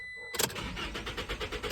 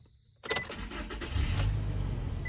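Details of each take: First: 2021 Toyota Tacoma: crank, no start, no spark. The crankshaft position sensor was replaced, then a bad transponder code appeared and the key was not recognized; the starter spins evenly but never fires. Fixed with a new key. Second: 2021 Toyota Tacoma after crankshaft position sensor replacement and a newly made key (red security light now off); quick crank, immediate catch and smooth steady idle: normal start.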